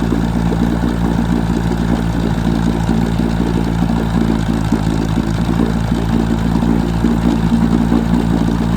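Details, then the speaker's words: 1966 Evinrude 6 hp Fisherman outboard, scrapyard find once seized, on a bit of choke: steady low drone with occasional irregular pops breaking the rhythm; intermittent sneeze, owner suspects lean mixture, unconfirmed. "sounds like it's got a little bit of a uh lean sneeze unfortunately"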